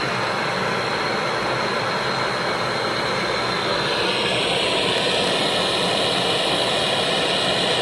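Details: Hyundai Starex diesel with a hard-start problem, heater (glow) plugs in focus: engine settles into an even idle with a slight rise in tone partway through and no rattles; sounds healthy, normal diesel idle.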